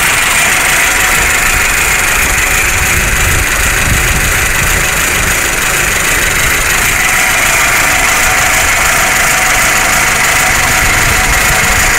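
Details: 1999 Toyota Camry/Solara 2.2L with rebuilt engine idling roughly, bucking, rpm rising then dropping, with busy diesel-like clatter; cause unknown.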